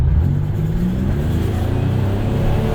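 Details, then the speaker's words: Buick Grand National turbo engine pulling under load at about 11–12 psi boost after rod bearing replacement; smooth deep drone with no knock or belt squeal, runs great, though it shakes (owner suspects worn motor mounts) but isn't misfiring. "All right, so we've been beating this thing up a little bit, and it runs great. No knock, no belt squeal."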